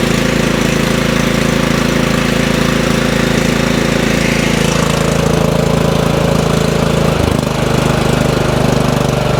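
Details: Craftsman 30-inch riding mower single-cylinder engine, choke on, after cleaning the gummed-up carburetor: a fast, even putter with no stumbling or dying out; it runs normally, no spark plug needed.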